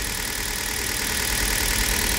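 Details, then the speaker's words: Hyundai Solaris cold idle after an overnight soak at 2°C outdoors, just after changing to Toyota oil, microphone kept away from the engine: steady, even hum with no ticking or knocking; quiet, healthy engine. "тихо. Для меня здесь тихо. Я заметил, что с этим маслом машина стала двигаться гораздо легче. Это означает, что двигатель вращается гораздо легче, чем с предыдущими маслами."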